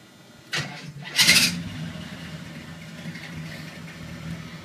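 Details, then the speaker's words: 1981 Chevy K10 on a cold start after running the night before: a short, harsh whirring grind as the starter engages, then a steady idle. The owner suspects the starter needs adjustment; not confirmed. "That is a cold start. I was running it last night though. I guess I probably need to check my starter adjustment before I put the flick cover on it. Sounds like it may need a little bit of adjustment."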